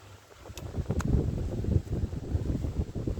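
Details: Honda Sonic 125 that wouldn't start after sitting, new carburetor flooded by dirt; fuel line replaced and inline fuel filter added: low uneven single-cylinder putter settling into a steady run, engine now starts and keeps running.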